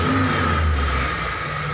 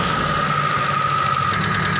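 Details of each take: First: T120SS injection car revving with a thin, steady, flute-like whistle heard on throttle. A dented oil pan presses against the oil pump pickup, which whistles as oil is drawn up. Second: T120SS fuel-injected car after the dented oil pan was reshaped, freeing the oil pump pickup: even engine note while blipping the throttle, the flute-like whistle under throttle now gone; engine sounds normal.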